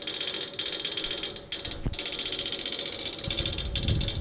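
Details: Outdoor AC unit with fan stopped: rapid, steady ratchet-like clicking from inside, as if trying to crank something, continuing until fan starts; persists after motor replacement, cause unclear.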